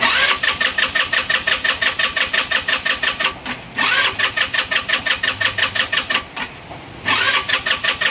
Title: Engine stalling, hard start, no idle....